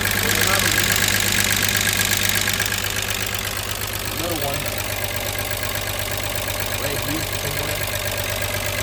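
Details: VW Jetta Mk3 VR6 12V just started after engine swap, sat a long time, WD40 in cylinders, smoking: steady idle with light regular ticking about three a second, likely dry lifters after long storage.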